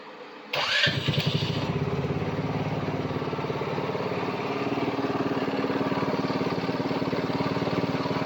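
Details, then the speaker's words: Side-by-side fired up for testing after a new brake sensor was installed and the electrical rehooked, about the fifth start. It catches quickly and settles into an even idle of about three pulses a second, no knocks. Throttle responsive; idle may need adjusting. Normal start and idle. "she's running. This is about the 5th time I've fired it up. Throttle's very responsive, engine sounds good."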